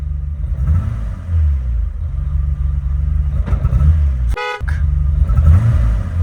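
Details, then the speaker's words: BMW E28 535is (M30 straight-six) stuttering with a small misfire at low RPM, its deep rumble stumbling and surging unevenly, with a brief horn toot; later traced to ignition wiring, which was replaced. "We're getting what feels like a small misfire or some stuttering at low RPMs."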